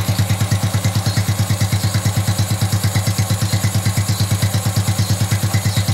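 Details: Honda Wave 110i motorcycle after cam chain (timing chain) set reassembly and adjustment: engine idles with an even, steady thump, quiet, with no whine or rattle from the cam chain.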